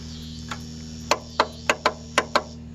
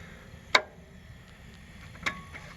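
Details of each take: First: Encore Fuzion mower with Kawasaki FR600V, ran the day before and turned over very slowly, battery charged and solenoid tested good: turning key gives six sharp clicks over a steady hum, no cranking; failed starter motor. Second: Encore Fuzion mower, Kawasaki FR600V, no start, starter unhooked, battery good: two crisp single clicks about a second and a half apart, test light shows output side hot; normal solenoid click, fault traced to a bad grounded starter.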